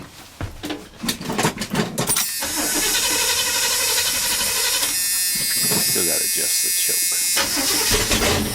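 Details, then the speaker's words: K30 fire truck with new tires and a repaired coil, started with no mufflers fitted: a short crank, then a loud, raspy, unmuffled roar through revs from the open exhaust. "let's crank it up see how it sounds with no mufflers and then we'll put mufflers on it and see how it sounds"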